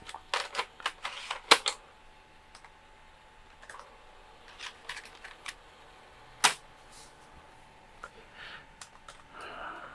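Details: Texas Instruments Extensa 550CD laptop floppy drive loading Cosmo's Cosmic Adventure: sparse dry clicks and short buzzy seek bursts with quiet gaps; the drive reads normally.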